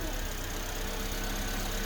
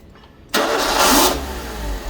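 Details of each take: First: Suzuki Swift just after mass airflow sensor plugged back in and valve replaced; smooth even idle hum, no misses, knocks or hunting, normal idle. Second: Suzuki Swift after a part replacement, with the mass airflow sensor unplugged: engine catches with a sharp flare, then bogs and stumbles to a low, uneven rough run.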